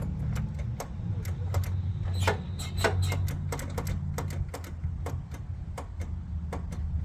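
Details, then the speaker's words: John Deere GT262 garden tractor that sat for many years; sharp scattered clicks over a low hum with no cranking. The solenoid engages but the starter motor fails, not the battery. "Solenoid's engaging, no crankage. Maybe my battery's no good."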